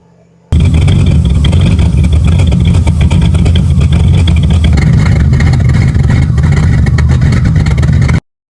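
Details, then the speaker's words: C4 Corvette 350 V8 just started cold on choke, high fast idle while warming up; rough chuffing pulse mixed into the rumble, exhaust leak at the headers. "Definitely got an exhaust leak out of the headers and she's not happy"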